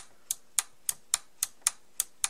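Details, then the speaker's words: Toshiba RP-1520M portable radio after lubricating the switch mechanism and re-bending its tabs: crisp, sharp clicks, about eight in 2.5 seconds, over a quiet background; the off switch now clicks cleanly into the off position. "oh yeah that does click when it's off now okay so that did help a little bit you can kind of hear it clicking when it goes to the off position now"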